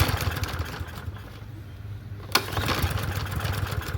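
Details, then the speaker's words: Troy-Bilt TB110 push mower with auto choke, sold as non-running, engine now turns over: several recoil pulls with a coughing catch but no start; owner suspects carburetor needs cleaning. Cranking, no start. "It's a auto choke, so it should start first pull. Let's see. This will be the easiest fix ever. Let's see. Okay. Okay, maybe not."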